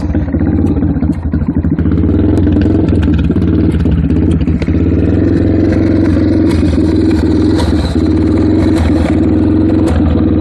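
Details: Yamaha TTR 230 single-cylinder dirt bike idling unevenly with a rough, lumpy beat and a hissy sucking noise; rough idle with intake sucking noise.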